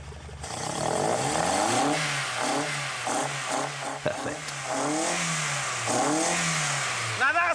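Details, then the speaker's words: Golf GTI with twin carburettors after synchronising them with a carburettor balancing tool that measures airflow; revs climb and fall cleanly with the throttle, no misfire or stumble, evenly balanced and healthy running. "that's what it should sound like."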